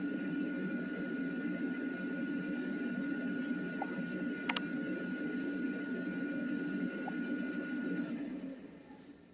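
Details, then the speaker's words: Tankless water heater after removing and cleaning the combustion fan to cure humming/vibration: steady, even fan hum with constant faint tone, no wobble or buzz; vibration gone, fan running smoothly. "so it definitely definitely took away the vibration that's awesome"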